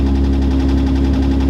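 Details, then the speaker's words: Datsun 280Z, fuel pump on a toggle switch, low on gas, idles even and steady but too fast at about 1500 rpm with no misses; owner thinks a vacuum leak is the cause, not confirmed. "So I do have a vacuum leak, I think, and before that it did idle pretty high. So I was trying to figure out what's going on with that. Right now it's idling at like 1500."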